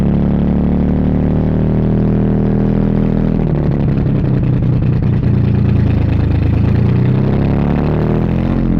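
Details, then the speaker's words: 1982 Toyota Celica Supra first runs, fuel leaking at the filler neck: engine catches, takes gas, then sags and stumbles and won't idle; owner wonders if ignition timing is off; won't hold idle. "it doesn't want to idle but it does take gas I wonder if the timing's off or something"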